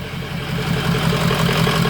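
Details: 2003 Ford F350 6.0 Power Stroke diesel after replacing missing oil filter anti-drainback valve, oil pressure now near 70 psi: even idle, steady clatter pulsing about six times a second, no stumbles; running smoothly.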